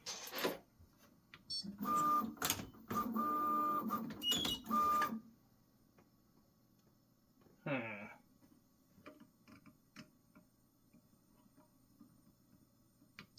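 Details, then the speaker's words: Prusa XL tool 5 tool change after reset: short motor bursts with thin high squeal during docking; nozzle suspected rubbing dock/brush while docking and undocking, still a little squeak. "that sounded better still a little bit of a squeak huh but that might that squeak might be these things here"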